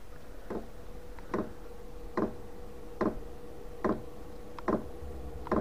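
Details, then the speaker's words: Chinese 5 kW portable diesel heater on bench test in a 13.5° garage, battery just under 12 V (about 11.9 V): sharp evenly spaced ticks a bit over once per second above a faint hum, dosing pump clicking normally during startup. "battery voltage is down to Under 12 volts uh it's just ticking now"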